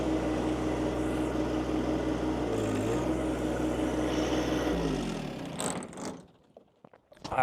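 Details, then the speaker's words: John Deere 2025 compact tractor driving a Tarter RT205 rototiller: even engine drone bogs and stalls within seconds as tiller engages; top gearbox oil leaked out, gears seized, stalling the tractor. "so last year I had it and it shut my tractor down completely so I'm I'm hoping nothing in the gear boox is shot"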